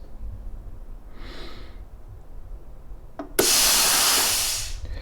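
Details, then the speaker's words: BestArc BTC500DP plasma cutter, first power-on, air from compressor through new in-line air/water separator at about 55 PSI: sudden loud steady air hiss about 1.5 seconds, tailing off cleanly; air supply working normally. "and you can turn on the air you can see that the air Works"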